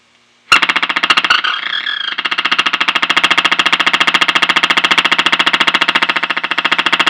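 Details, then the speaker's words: 1933 RCA Cathedral Model 120 tube radio on a variac near 110 V with iffy original capacitors: loud even putt-putt pulsing about 3.5 beats a second at high volume, varying by band; motorboating oscillation. "that's an epic motor boating"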